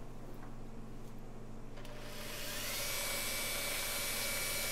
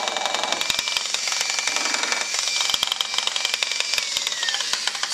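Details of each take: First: Makita 9227C polisher/buffer after grinding-noise repair and cleaning a ball of wool fibers from the air intake: spins up to a steady smooth high whir, no grinding or rattle; much quieter than before, normal running. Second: Used Makita 9227C polisher/buffer running: a loud, harsh grind with irregular clattering knocks like rocks tumbling in the gearhead. The owner suspected the bearing or bevel gear; the bevel gear teeth turned out to be chewed.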